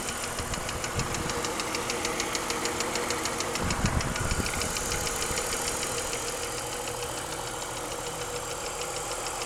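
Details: BMW 323i at idle after full cylinder head rebuild and machining (valve job): sharp light ticking about 200 per minute from the engine top end, louder than before the rebuild; cause not pinned down.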